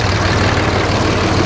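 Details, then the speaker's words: RAM 3500 dually diesel at a dealer auction, low on fuel, started to check blow-by: steady, even low diesel rumble with a regular idle beat and no knocks or misses; healthy idle, no blow-by. "Sounds good though, doesn't it? If you can even hear me."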